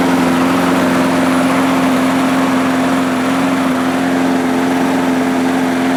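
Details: 1998 Murray 3-in-1 mower, a trash find with its manual throttle control removed, started after priming: a steady, even buzzing drone with no misses or surging. It runs smoothly and healthy.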